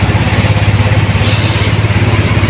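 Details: Yamaha Mio scooter that bogged (hagok) at full throttle, after a fuel filter replacement: a steady, even low putter at idle with no misses or knocks. The fix proved effective and the idle is healthy.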